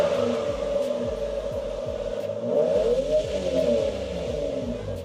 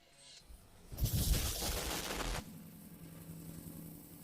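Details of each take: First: Toyota Supra with 2JZ engine, intake not yet installed, first start after a long break; it revs and settles smoothly with an even exhaust note, no popping or stumble; normal running. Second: Toyota Supra 2JZ engine, heat plate between manifolds missing: harsh uneven popping and rasping on start-up settling into a rough, puffing idle; misfire plus exhaust leak at the collector-to-catalytic-converter joint gasket.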